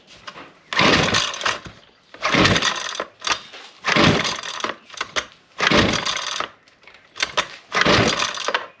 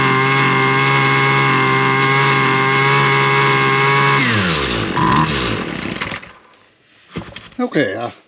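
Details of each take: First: Husqvarna 128LD string trimmer that only ran with choke on, good compression: repeated pull-cord cranks about every second and a half with no firing at all; cracked fuel lines sucking air prevent starting, filter also dirty. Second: Husqvarna 128LD trimmer that previously only ran with the choke on: after drying off a part and priming, a high, buzzy two-stroke note holds steady for several seconds with the choke fully off, then winds down. It now runs fine.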